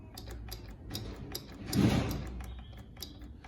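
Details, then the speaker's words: Shineray Worker 50cc motorcycle at idle: light, regular ticking about twice a second from the clutch side. Something is loose and moving inside, and a castle-nut key is needed to remove the part. "cinquentinha fazendo barulho ó de embreagem ó o que que"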